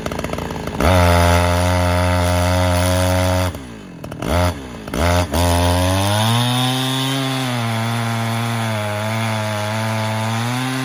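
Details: Chinese-made Husqvarna 372XP kit chainsaw with carburettor set richer just before: steady burbling idle, then a clean rising scream in the cut, holding strong revs without bogging as it hits the power band; owner reckons it wants to run rich.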